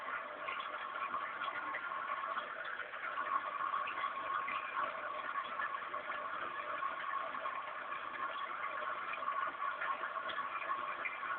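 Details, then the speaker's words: Newly installed cat water fountain: its pump gives a quiet, steady electric hum with no rattle, knock or wavering; running normally. "et à gauche donc cette tribune que vous entendez c'est la pompe à eau"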